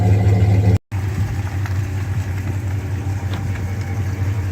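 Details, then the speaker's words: 2001 Dodge Ram 1500 V8 after a swap to a good used engine (the original needed a crankshaft), warming up: steady, even low idle rumble with no knocks, misses or whine; it runs healthy. "this thing's really running good now like good let's go listen to it now that's a good sound"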